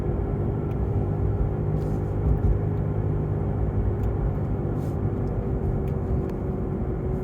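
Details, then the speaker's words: Tesla Model 3 on Nokian Hakkapeliitta R3 winter tyres, heard from inside the cabin while driving at cruising speed: a loud, steady, low droning growl under the road noise, persistent going straight or right, slightly less when turning left; worn wheel bearing or tyres suspected, not confirmed. "It's loud, straight, or going right, but when I go left, a little bit off, but actually at this speed it just seems to be persistent."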